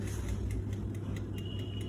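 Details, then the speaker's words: Bajaj 45-litre OTG in baking mode at 170 °C with a 15-minute timer, only the lower rod on, near the end of the bake: crisp even ticks about five per second over a faint hum with a thin ring; normal timer ticking. "चालू असताना थोडाफार आवाज येतच राहतो त्याचं असं काही काळजी घेण्यासारखं कारण नाहीये की मॅडम आमंचा ओटीजी चा खूप आवाज येतोय वगैरे नॉर्मल असा आवाज येणारच आहे तुमच्या ओटीजी चा"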